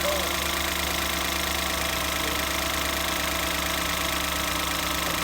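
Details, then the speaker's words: 2014 Ford Escape 1.6L, first startup after head gasket replacement: steady, even idle with constant hum, no knock, miss or hunting; sounds quieter and much better than before. "A whole lot better. I didn't hear it when it was sick, but it sounds good now. Sounds fine now."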